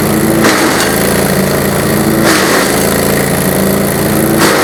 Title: GreenMech Arborist 130 wood chipper - Chipping on dull blades